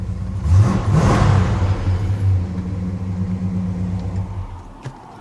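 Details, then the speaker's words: Dodge Super Bee with a rebuilt 383 V8 and rebuilt original Carter AVS carb, finished and leaving the shop: a deep, even rumble rises briefly, then fades as it pulls away. No knocks or misses; it sounds pretty good. "Sounds pretty good."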